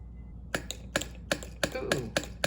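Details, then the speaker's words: 2003 Honda Pilot evap system solenoid valve energised directly: crisp, clean single clicks about every half second in a quiet room; valve switching normally. "first thing we'll do is just touch it on here see if we hear it clicking"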